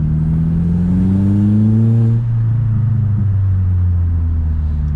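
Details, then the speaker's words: MK4 Golf GTI with Forge 008 diverter valve, MAF unplugged: revs climb then abruptly sag into rough low rumble, intermittent stall and judder on full boost; sticking N75 boost control valve not holding boost at high revs, later replaced. "it doesn't happen every time but it will start to stall and judder there we go so i'm thinking i might change the n75 valve first"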